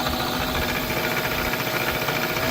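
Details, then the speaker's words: Second old motor after new 6203ZZ bearings, at 60 Hz: raw scraping hum with a faint steady squeal. Sparks are seen inside and the rotor is making physical contact with the stator, so the rotor is rubbing and the motor is done. "Ooh, I thought I saw a spark in there. It's definitely touching something in there."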